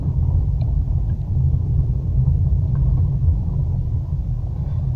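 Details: Renault Duster 4x4, road test after fixing single metallic bang on bumps, pulling away and braking (subframe bolts and mounts checked): steady low road rumble, no sharp metallic clunk when accelerating hard, e.g. in second gear; subframe now quiet.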